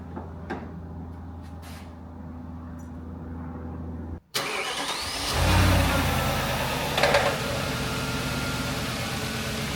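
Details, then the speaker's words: Audi S4 started and driven for the first time after pre-MOT repairs including welding, boots, seals and body panels: engine settles into a steady, even low hum with no knocks, ticks or misses; it sounds mint. Normal running. "it's m Voyage sounds mint unbelievably it drove"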